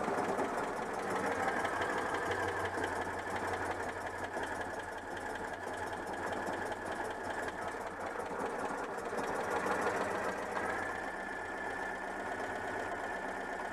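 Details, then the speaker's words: Citroën 2CV flat-twin with worn ignition breaker points: revs up well but idle surges and sags without stabilising; unstable idle from worn points. "même bon ralenti cas du mal à stabiliser mais bon je vous ai dit le rupteur est un peu hs"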